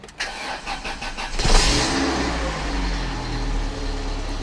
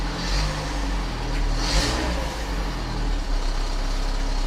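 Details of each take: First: 1997 Volvo 480 started after fuel filter and fuel pipework replacement and fuel pump fitting tightened; brief cranking, catches within about 1.5 s, settles to smooth steady idle; normal cold start. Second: 1997 Volvo 480 idling after fuel filter and pipework replacement, on a cold morning: rough puffing blow and faint rattle over low steady rumble; exhaust leak still present.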